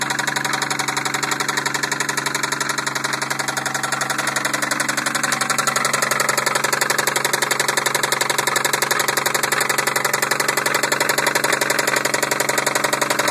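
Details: 1990 Toyota Supra turbo, 5-speed: steady, even knock at about four per second riding over the idle without wavering; engine knocking, cause not yet known.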